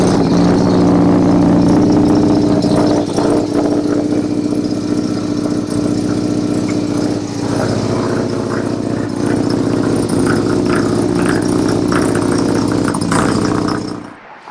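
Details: 1971 Mazda 1200 four-door rotary wagon, from New York: the pedal is pumped, then it catches at once into a smooth, even, buzzy idle with no knocks or misses; normal start and idle.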